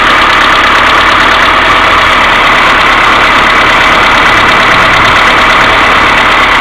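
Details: Mercedes A-Class W168 1.6 petrol, cold engine idling without throttle: fast light ticking, about three a second, from hydraulic valve lifters, with a continuous timing chain tensioner hum; fixed by replacing the hydraulic lifters.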